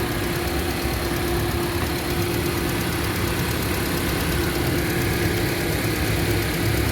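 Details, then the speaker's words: 2008 Honda CR-V after repair of shaking, stumbling and lack of power (cylinder 2 injector not spraying): one injector replaced, three cleaned, all four coils and spark plugs replaced; steady smooth idle, no shaking, no warning light. "ครับผมCVก็เรียบร้อยครับลองมาพ่อเครื่องปกติแล้วนะครับผมอเครื่องนิ่งไม่สั่นแล้วครับผมวิ่งปกติแล้วก็ไฟก็ไม่โชว์แล้วนะครับผม"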